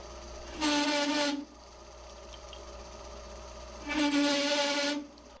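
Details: Lathe on original compound slide cutting EN8 steel: two bursts of harsh, ringing chatter under cutting load, likely the VFD current-limiting at high load; improved by adjusting VFD settings.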